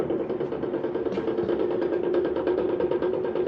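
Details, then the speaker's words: Power King stump grinder with belts off, its grinding wheel turned by hand. Rough, gritty grinding rumble with uneven knocking from the worn front bearing, and slop in the outer bearing; both bearings need replacing. "yeah, I'd say it's bearing time, right guys?"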